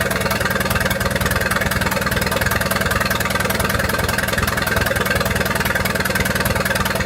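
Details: 1928 Farmall Regular tractor engine at idle just after start-up, following carburetor tweaking, spark advanced about halfway: a crisp, regular beat of about 200 per minute, even and unhurried, with no knocks or misses. Healthy normal idle.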